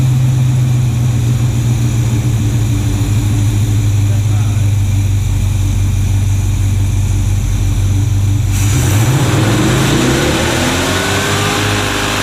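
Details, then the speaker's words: Classic Chevrolet C10 truck V8 after a rebuilt OEM distributor, timing set to cure spark knock: deep even burble at idle with brief rev, no pinging or rattle; normal idle. "We got this timed and everything. It's running real good."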